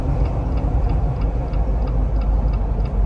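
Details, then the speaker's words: Built Jeep on 40-inch tires after off-roading at Windrock, driven on the road: faint chirping squeak about three times a second over road rumble, in time with wheel rotation; right rear axle shaft bent. "the right rear axle shaft is definitely bent as you've seen it in the last video doing this as we're going down the interstate"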